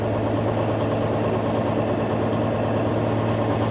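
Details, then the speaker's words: Peterbilt 352 cabover wrecker diesel on a very cold morning, first start; after a rough start struggling to fire all cylinders it smooths to a steady, even low idle rumble, 60 psi oil pressure, charging about 10 A: normal idle. "man it's having a hard time getting all the cylinders going but it is coming up can you hear it smoothing out hopefully you guys can hear it good"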